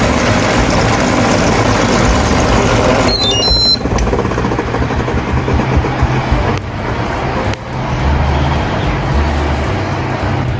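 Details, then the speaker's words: Hatari AC Classic1 evaporative cooler fan before repair: loud rough rumble with steady low throb over fan rush; motor shaft spinning inside a loose blower wheel lock, wheel off-centre and cracked, shaking the whole frame. "พัดลมก็ไม่ได้ศูนย์กลางนะครับมันก็สั่นๆนะครับการสั่นเนี่ยก็ไปสั่นโครงนะครับเครื่องแล้วก็สั่นทั่วเครื่องนะครับก็เลยทำให้เกิดเสียงดังขึ้นนะครับ"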